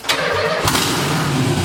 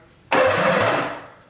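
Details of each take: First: LS V8-swapped Nissan 300ZX first startup with fuel pump relay rewired to ground-trigger: two loud raw open-exhaust bursts, each catching about two seconds then dying; fires but won't stay running yet. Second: Nissan 300ZX with an LS engine swap, first start attempt: a short, free starter spin under a second with no firing and fuel disabled. The engine turns freely and is not locked up; a fuel pump issue is still unresolved.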